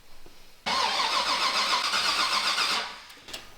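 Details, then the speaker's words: Firebird with a new 408 Whipple-supercharged engine at first start, fuel fed without a tank: even cranking at about four beats a second that never fires, even after ignition parameters were saved. The cause was a circuit assumed to have 12V that lacked the ignition feed. "We'll shut the key off back on. Car should fire. Okay, car still doesn't fire."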